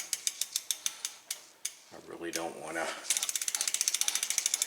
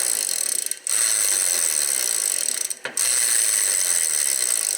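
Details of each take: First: Trek Navigator 2.0 mountain bike, 15+ years old, after new tires, tubes and chain and wheel reinstallation with pin fully seated; crisp even freewheel clicks as wheel coasts and respins, no scraping; normal, little or no rubbing. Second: Rear freewheel of a ten-year-old Trek Navigator 2.0 after cleaning with alcohol: fast, dry clicking that sounds coarse and rough while the hub spins down; owner thinks the bearings need lubrication.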